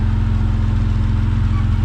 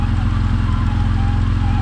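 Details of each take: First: Vauxhall VXR project, turbocharged, after engine install and first start, a pipe refitted that had been left off causing rough running: deep, even idle holding constant speed, no misses or hunting; normal idle. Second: Vauxhall VXR turbo project, first start after engine installation: a faint, steady mid-pitched whine rides over the even idle rumble; the noise is the power steering pump, which is to be replaced.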